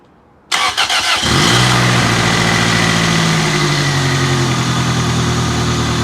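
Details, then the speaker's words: 7th-gen Toyota Celica just after a 1ZZ engine swap replacing an oil-burning 300k-mile engine, first start: it cranks, catches quickly, then idles with a slightly uneven beat. ECU relearn suspected; the second start sounded better. "first time it wasn't idling right but i guess the ecu probably had to relearn itself second time it sounded a lot better"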